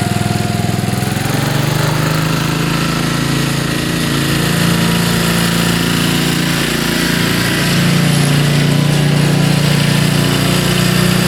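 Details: Cold first start of spring after winter storage, about full choke; catches and settles into a steady even idle with no misses or knocks.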